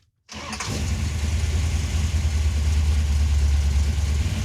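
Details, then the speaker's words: General Mayhem Dodge Charger, restarted after dying, tank cap opened fully and vapor lock ruled out: cranks, catches quickly and settles into a steady, even rumble with no misses; normal idle. "Okay. And now it runs fine."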